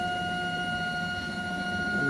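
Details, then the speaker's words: ShopBot Desktop MAX CNC homing X and Y to zero using corner limit switches; clean, steady high-pitched motor whine with no grinding or skipping, axes traversing smoothly. "And this will automatically recalibrate itself to the 0 based on the uh limiter switches that it has on the corners."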